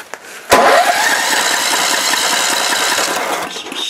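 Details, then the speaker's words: Warm Snapper mower engine: pull-start whirr, then a few seconds of rhythmic cranking chuffs that never catch; still seems to need choke to start when warm, cause unknown. "it is warm right now but for some reason you still have to choke it to start it but I don't know maybe it'll surprise me"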